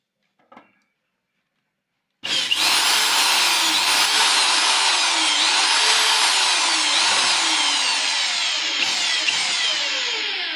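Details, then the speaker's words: Electric drill that would not run, after fitting carbon brushes: steady high motor whine holds speed evenly while drilling into wood, no sputter or cutout; repaired, running properly. "तो संगवारी हो हमारा proper drill machine लगा आप चालू हो गए।"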